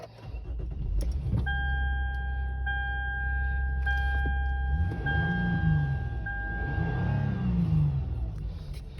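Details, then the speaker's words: Lexus IS just after a cold air intake install, started and idling: low steady idle with quick blips and a background chime, sounding a little aggressive, clean and healthy; normal idle. "Sounds a little bit aggressive."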